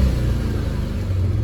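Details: Car engine after swapping the high-voltage ignition wire between cylinders four and one to chase a misfire: short, even, deep idle hum with no stumble or shake; misfire gone, all cylinders firing, likely loose wire or coil contact.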